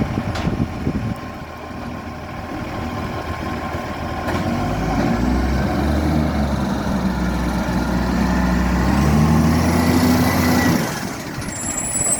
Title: Maitland FOGO | 2230 | Exhaust Leak